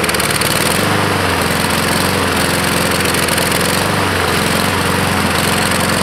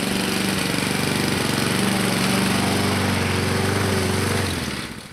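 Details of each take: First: 2014 Husqvarna HU700F mower, Honda GCV160 single-cylinder, before carb clean: engine chugs, beat drops and recovers unevenly, hunting for fuel; main jet clogged, likely by flakes and crusty pieces from the float bowl. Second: 2014 Husqvarna HU700F self-propelled push mower, Honda GCV160 single-cylinder engine, after carburetor clean and general cleanup: even, steady putter at constant speed, then shuts down; normal clean, healthy running.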